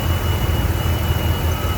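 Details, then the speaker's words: 1993 GMC Sonoma idling after refitting the old distributor with an old module, computer unplugged to set timing: low, steady idle with an even pulse and no hunting or surging; runs better than when it came in, clean stable idle. "That's how good this thing was running when he came in. Well, it's running it better now."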